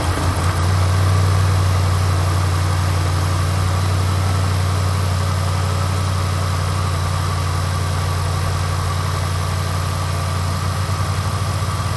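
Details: 2010 Jaguar XFR just started after new spark plugs, ignition coils, fuel injectors and an oil change: a firm, steady low hum that settles quickly and stays smooth, no ticking or stumbling, a healthy idle.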